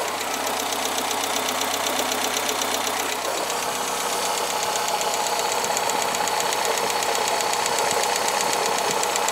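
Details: Cold engine that also consumes oil: quick, fairly regular tapping, about four per second, over a steady idle; strange tick inside the engine, cause not identified.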